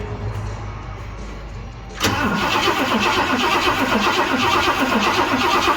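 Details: 1978 Ford F100 Cleveland V8, first start attempt in 6 years: starter churns it over about four beats a second but it never catches; cranks without starting, fuel delivery suspected.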